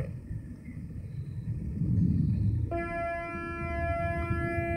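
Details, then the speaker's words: Morningstar SunGuard SG4 PWM solar charge controller fed by amorphous panels at about 14.5 V: steady low hum, then buzzing tones with a phasing sound as pulse width varies 0–100% at constant frequency; normal PWM regulation noise. "isten hear that sort of phasing sound where it kind of goes that's the pulse width modulation value varying between 0 and 100%"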